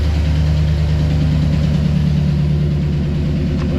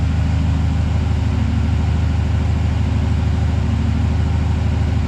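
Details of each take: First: 2008 Chevrolet Silverado V8 with AFM/DOD, before delete-kit repair: idling with light steady tapping over the deep rumble, common lifter tick, louder on one bank. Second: High-mileage 2008 Silverado V8 after an AFM/DOD delete kit to fix a bad lifter tick, with 10W-30 flush oil: steady, even low idle rumble with no tick or tap.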